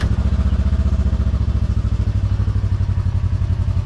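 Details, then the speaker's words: Just-installed GGB trail edition muffler, first start: steady, even low burble, deep but not harsh or crazy loud, a little meatier than before; healthy exhaust. "crazy loud. Good. Does sound a little better. A little meatier."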